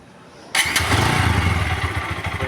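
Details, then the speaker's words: TVS Apache RTR 160 4V motorcycle after tappet adjustment to cure engine noise and pickup problem: catches at once and settles into an even, steady idle with no top-end tapping; smooth after repair. "इसका sound कितना smooth हो गया तो आप देख सकते हैं कितना मीठा साउंड निकल चुका है गाड़ी में"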